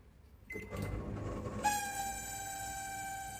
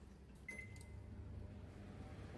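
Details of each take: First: Samsung microwave running: a loud, steady high-pitched squeal for about six seconds, then it slides down as the cooling fan stops. Caused by a faulty cooling fan motor, repairable without replacing parts. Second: Samsung microwave after cleaning and oiling/greasing the noisy cooling fan motor: one short start beep, then a soft, even low hum with no rattle or squeal; fan now running quietly.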